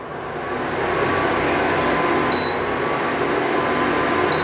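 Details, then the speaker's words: Induction cooktop just switched on with no vessel placed, display blinking E0: soft steady internal cooling-fan whir with two short high beeps; fan noise is normal, meaning no pan is on yet. "Sound వినొచ్చు ఆ fan sound అన్నమాట ఆ sound ఏంటంటే పాత్ర vessel ఏం పెట్టలేదు అని అర్థం"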